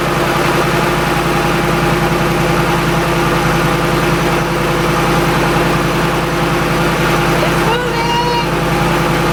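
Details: Shelby Mustang GT500 (13-14) supercharged, idling on first start after intercooler pump and burnt harness replacement for no boost, before warm-up; steady even idle with smooth low drone, no whirring or whine, healthy.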